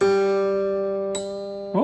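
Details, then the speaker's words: Guitar plain string creaking in a soft plastic nut slot: ringing note broken by a sharp click and creaky slide while tuning, persisting after graphite lubrication; creaking blamed on the soft nut material, replacement recommended. "That to me, that creaking is a symptom of the material itself. So I'm going to recommend to the owner of this instrument that we change that plastic nut out because it's a bit too soft."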